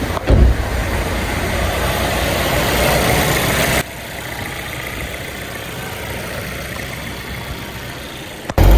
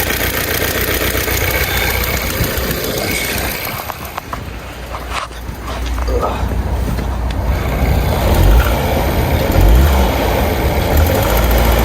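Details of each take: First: Turbocharged Volvo after the turbo was removed, broken exhaust manifold studs extracted and new manifold gaskets fitted: the engine fires and settles into a smooth, steady idle with no ticking or exhaust puffing; the earlier exhaust leak is fixed and it runs normally. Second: Volvo engine idling cold in neutral, before warming up: quick loosely regular tick about four per second, resembling rod knock but an exhaust manifold leak from factory manifold studs breaking; turbo must be removed to fix.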